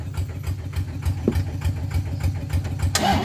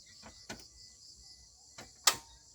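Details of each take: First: Pickup truck, started after about 20 minutes of charging its flat battery through a 20 m cable from a walk-behind tractor. The starter cranks briefly, then the engine catches and settles into a steady, even idle with no misses or knocks; a healthy start. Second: Pickup truck with a completely flat battery, AC and electrics off: a few sharp separate clicks with no cranking, starter unable to turn over from a dead battery.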